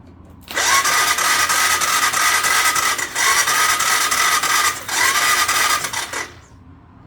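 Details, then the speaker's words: 1998 Honda 300 4x4 ATV, sitting for years: two long bursts of electric-start cranking that never fire; engine turns freely with compression but no spark, coil also possible. Crank no start, no spark blamed on failed CDI. "No, we do not have any spark. Again, that could be the coil or anything."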